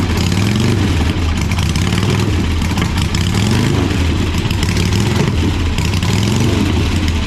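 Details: 1985 Harley-Davidson Sportster Ironhead V-twin, sat outside a long time: loud loping low rumble with an uneven but steady beat, no misses or knocks; normal idle, sounds like a good motor though the oil filter was destroyed.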